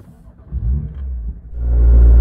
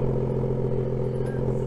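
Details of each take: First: BMW M2 (N55) with M Performance exhaust on a cold start: the exhaust tips vibrate heavily for about 10–15 seconds, a low buzzing drone over the fast idle, audible outside; exhaust tip rattle. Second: BMW M2 (N55) M-Performance exhaust at cold-start idle with the exhaust tips removed: a deep, steady rumble with no metallic buzz or rattle. This shows the tips caused the cold-start vibration noise.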